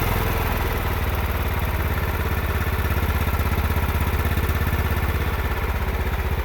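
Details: John Deere 16 HP mower (140 psi compression) after the carburetor was refitted, air filter off: even, steady chug at constant speed, firing regularly without stumbles; it now runs properly.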